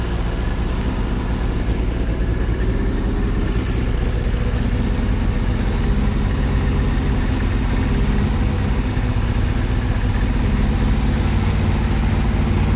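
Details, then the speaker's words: Kawasaki ZXR750 H1 four-cylinder during carburettor balancing with gauges: even, steady idle with a smooth low rumble and no misses; tone changed and much healthier after balancing. "That's looking a lot healthier. They're not absolutely perfect yet, but they're a lot better. And all of a sudden, the bikes, the tone of the bikes changed."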